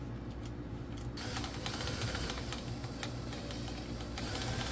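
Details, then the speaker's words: Drill-powered chainsaw attachment (shaft drives a small gearbox) spun by a drill: fast, uneven, dry clattering and rasping from the chain; chain not too tight, owner suspects it just needs oil. "something's already making noise I don't like on it the blade is not too tight what's wrong with it I think it just needs lubrication maybe if we put some oil on it would stop making that noise"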